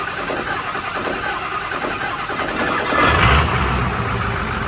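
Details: Ford 6.0 L Power Stroke diesel, first start after engine swap and a new cam sensor connector splice: cranks, catches and climbs to a rough clatter with a couple of stumbles, then holds a steady idle.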